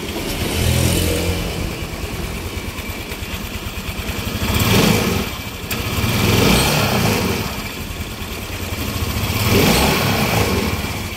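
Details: 2015 Yamaha NMAX, after repair: scooter idles and takes several smooth throttle blips with no rattle or grind from the CVT; the earlier noise came from a worn roller housing, and the sliders were replaced.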